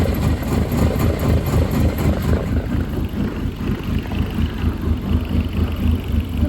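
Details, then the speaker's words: 2008 Dodge Caliber SRT4, abused project car, idling after a first start: deep uneven idle with a loping pulse about two a second, no sharp knocking. It won't idle well; owner hears no rod knock but a noise at mid-range RPM. "It doesn't want to idle, that's for sure. But I am not hearing a rod [Music] knock."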